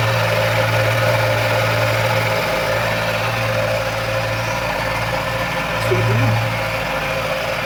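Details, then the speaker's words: Engine idling smoothly after timing belt, tensioner/idler bearings and V-belt replacement with timing marks aligned; steady even hum, brief light rev near the end, no knocks or squeals, no problems. "Evet şu anda Sistem çalışıyor Herhangi bir problem yok Allah'a şükür"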